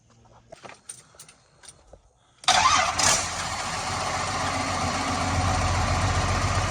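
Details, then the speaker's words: 1986 Ford F350 with swapped 5.9 L 12-valve Cummins, key start: diesel fires and settles to a rough idle with a steady rumble and a slight chirp from the transmission, traced to the throwout bearing; transmission must come out. "so KJ checked this noise out this afternoon and found out that it is the throwout barar Clifford is running but we have a slight issue now"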